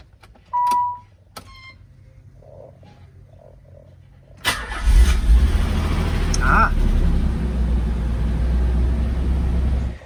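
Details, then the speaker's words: 1995 Nissan 300ZX Z32, automatic-to-manual swap, starter relay bypassed by jumpering two wires: chime, then a short crank before the engine catches and settles into a low steady run; starter circuit now works. "Awesome. Okay, it works. It starts."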